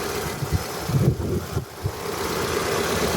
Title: NEED TO CHANGE SPARK PLUGS, CHECK ENGINE IS ON ...... CODE P0302 2ND CYLINDER MISFIRE